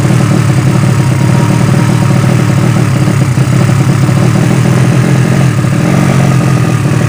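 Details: Yamaha Vega ZR with swapped Mio cylinder bored to 200cc (66 piston, standard stroke), Tiger carburetor, test-started after long storage; loud open-piped single thumps at idle with slightly uneven hollow beat, carb not yet set, still too lean.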